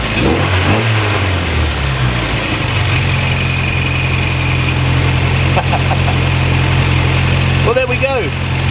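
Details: VW Mk1 Caddy idling after replacing the distributor cap and rotor arm; a steady, even low hum with an unbroken rhythm and no misses or rattles, so the engine runs properly.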